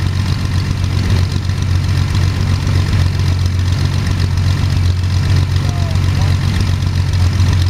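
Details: First start of Jabiru 3300 six-cylinder in plans-built Sonex with Rotec TBI, 50 hours on engine, mixture full rich, oil pressure 42, charging: steady even low idle rumble, smooth firing beat, no knocks or rattles; sounded really good, normal idle.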